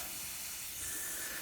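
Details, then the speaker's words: Plasma cutter with compressor connected: constant soft high hiss, steady and unpulsed, from compressed air escaping at a poorly sealed connector; fix planned by removing the connector, applying thread tape and refitting. "I think it needs this connector taken off and then some thread tape put on and then that connector put back on so might as well sort it out while we're in here"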